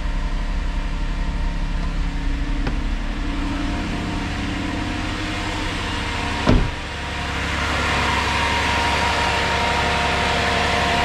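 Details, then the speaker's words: 2008 Saturn Vue Redline 3.6L V6 after timing chain, water pump and oil pump replacement, idling about 10 minutes with check engine light cleared and not returning: smooth, even idle, steady low rumble, no knocks or ticks; normal idle. "all right I've had to sit here running now for a good 10 minutes or so check engine light's been cleared nothing's coming back it sounds really good"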